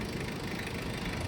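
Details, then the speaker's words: Mitsubishi Adventure diesel: steady, even idle with no vibration, rising slightly as the air conditioning comes on without idle adjustment; healthy. "Dapat pag may aircon yan, tataas yung menor. Yan. Very good."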